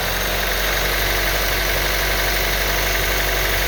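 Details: 2012 Honda Civic EX 1.8L automatic idling in reverse: loose, buzzy rattle with steady vibration about four beats per second; owner wonders if the due serpentine belt is the cause, unconfirmed.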